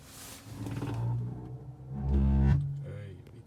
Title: Tesla heatpump makes some strange noise?